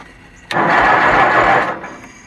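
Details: Kohler Magnum 20 on a Wizard garden tractor, second start attempt after cleaning the gas tank, hooking up the fuel pump, setting an adjustment about 1.5 turns and fitting an old recharged battery: about a second of cranking, no firing, battery suspected weak.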